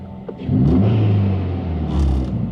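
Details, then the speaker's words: 2018 Subaru WRX after vacuum leak hunt and intake reassembly, AF learning now within spec: smooth idle then quick clean rev blip rising and falling evenly, no hiss or stumble; normal rev, leak believed fixed. "everything is looking good i don't think it's leaking anymore"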